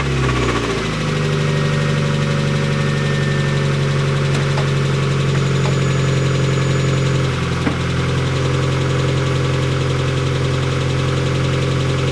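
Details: Mazda Miata petrol engine at idle: steady low rumble with a faint, fairly regular knock running through it; suspected rod knock, not confirmed.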